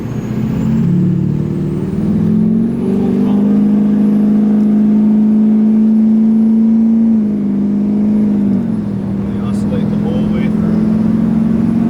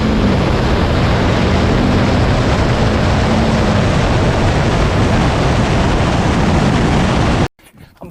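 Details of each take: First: 2006 Duramax LBZ diesel truck with LLY compressor cover, switchable tune 5 (DSP-4), full throttle, heard in the cab: steady drone surging in and out three or four times a second as turbo vanes hunt open and shut; turbo vane oscillation. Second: 2006 Duramax LBZ diesel with LLY compressor cover on tune DSP-4, hard acceleration: loud, deep, even roar, no surging or flutter, vanes steady and boost hitting its target; normal turbo under full acceleration.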